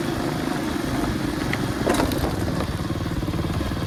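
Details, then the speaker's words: Revived Tao Tao 125cc ATV quad with a new carburetor, ignition switch, stator and pickup, ridden slowly in the rain over gravel. A steady, even engine drone runs under crunching gravel with no knocks or misses. Super quiet, healthy running. "I'll be honest I didn't think I'd get this going super quiet though super quiet"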